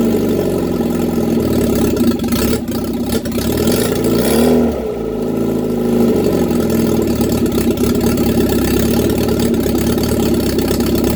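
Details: Reliant Regal Supervan 3 engine on the workbench, running after a full rebuild, with choke and a hand on the throttle. Smooth even idle that dips briefly under a throttle blip, then picks up cleanly; normal idle and revving.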